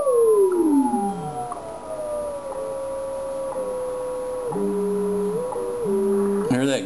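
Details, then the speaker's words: Yaesu FT-101ZD transceiver in tune mode on WWV at 10 MHz: steady tone gliding down in pitch then holding; heterodyne growl from tuning just off station frequency, vanishing at zero beat. "and then what we're going to do is tune either side of the station and you'll hear a growl so if i tune here the frequency change"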